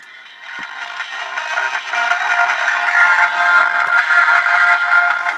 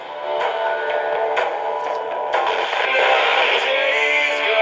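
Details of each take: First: Realistic DX-398 shortwave radio on AM, station 1090 Baltimore, original speaker not yet replaced: harsh, buzzy, crackling audio with no clean low end, worse as signal and volume rise; failed loudspeaker distorting. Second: Realistic DX-398 shortwave radio on FM: music clear without crackle or distortion but thin and bass-light whatever the tone switch setting; normal tinny sound of the small speaker, radio working properly.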